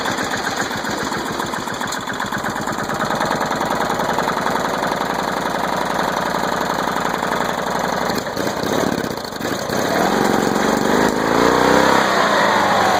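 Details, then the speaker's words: Flow Jet engine on first start after being flooded with mossy dirty water; only the starter brushes were cleaned. Engine chugs unevenly at about four beats a second, then picks up revs while still spitting out water. "I took all that water out of it. All that water kicking out of it. Alright, here she goes. She's running. Still putting a little bit."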